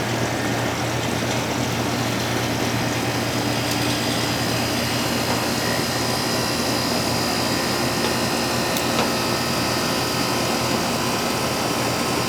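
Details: Outdoor AC condenser after replacing the bad contactor and capacitor on a 24 V 40 VA control circuit: steady even fan and compressor whir with no rattles, clicks or surging; running normally.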